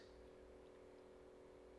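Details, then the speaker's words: 1980s Hitachi TRK-8600E radio cassette boombox powered through a damaged AC inlet: steady low mains hum with nothing playing; transformer damage from a knock suspected, not confirmed. "so you can probably hear that so I suspect there's some sort of damage or issue with the Transformer presumably where that's all being knocked"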